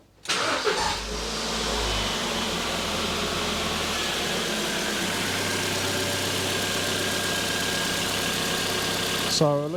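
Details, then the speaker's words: 2007 Ford Fiesta 1.6 petrol after thermostat and housing replacement and coolant refill, cap off to bleed air while checking for leaks: brief crank, then smooth, even tick-over with no misses or knocks; sounds healthy. "Right, so I'll leave the cap off and we'll start it up and let it tick over for a little while, and hopefully there won't be any leaks."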